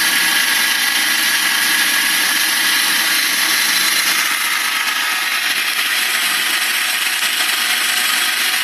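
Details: BMW 318i with M43 engine: loud, steady, high-pitched hissing whine with little low rumble and no clear knocking; abnormal engine noise, source unknown.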